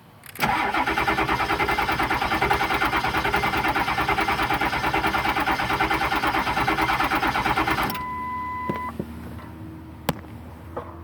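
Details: 1999 7.3 diesel after six months of sitting: about three cranking pulses a second keep an even beat for nearly eight seconds, then the starter stops without the engine firing; cranks but won't start.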